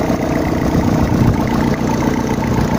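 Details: Freshly rebuilt gasoline engine on first start, idling gently without revving while oil pressure builds: a steady, even low rumble with no knocks or ticks, running fine; a small exhaust leak is noticed afterwards.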